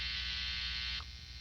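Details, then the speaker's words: Strat with Floyd Rose humbucker and noiseless single-coil pickups into two Princeton amps, ungrounded with cable held: harsh steady electrical buzz through drive, dropping sharply to quieter hum as it cancels in position two; 60 Hz mains hum. "It's not grounded to anything, but we can hear it, right? We can hear that hum."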